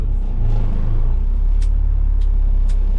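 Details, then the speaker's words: 1981 International semi diesel, in what is thought to be first gear, drones and bogs low under revving without moving because the unlabelled air emergency/parking brake is still applied. "Okay, so I was informed that this, which is conveniently had all the writing rubbed off of, is actually an emergency brake."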